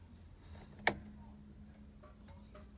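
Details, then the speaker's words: Austin Allegro 1300 SDL, hazard switch refitted, ignition on, indicators tested: one sharp click, then fainter ticks in a quiet cabin. Flasher relay clicking normally, indicators and hazards both working. "we've got normal indicators the switch down there we've got hazards all he's good"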